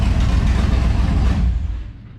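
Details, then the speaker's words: Deep, loud, steady V8 rumble at idle through open headers on a 1994 Impala SS with LS swap and 4L80E, after broken header was welded; running fine, just uncorked. "Yeah, she's still loud. Open headers. Best way to drive them, as long as you don't get in trouble."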